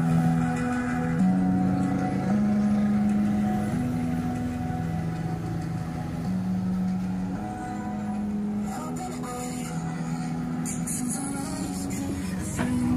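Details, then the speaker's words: Round amplified speaker playing music: harsh, buzzy sound with a rough crackle under every note, badly distorted. Attributed to failed, dried-out power supply filter capacitors. "problem nito napakinggan niyo naman basag na basag yung tunog"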